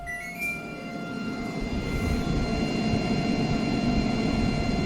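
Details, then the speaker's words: New Midea HC-689WEN side-by-side refrigerator-freezer at first startup: the fan gives a constant high-pitched whine, several steady tones over a low hum. The noise was completely gone about an hour later. "The fan is making a really high-pitched noise, but nothing that I can do, just let it do its thing and see if it fixes itself in a while."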